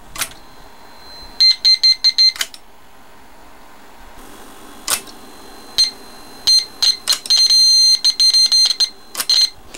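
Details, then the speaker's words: GAF Rols model 102 Rologram dictation machine after recapping its amplifier, with a signal injector feeding it: short bursts of steady, high buzzy test tone passing cleanly between quiet gaps; normal amplifier output. "now I'll turn the have a fire on and I get my old pal the signal injector sitting out here and hear the difference"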